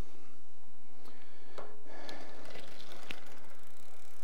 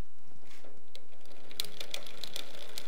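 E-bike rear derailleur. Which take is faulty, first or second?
second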